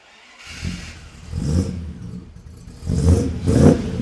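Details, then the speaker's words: Rebuilt 1975 Land Rover Series III V8 on choke, with a new stainless exhaust and tucked-up Y-pipe without slip joint: deep burbling idle and three clean rev blips, no knocks or blows; normal idle and revving. "Oh, that sounds awesome. Oh, so good."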